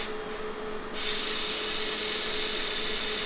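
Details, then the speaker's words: Pressure-input servo in restored Bendix MG-1 Central Air Data Computer, moved too far so its friction clutch slips; steady dry rasping rub with faint thin tone, no engagement, continuous scrubbing of slipping clutch. "Yeah, so now the now the clutch is slipping, because I've gone too far."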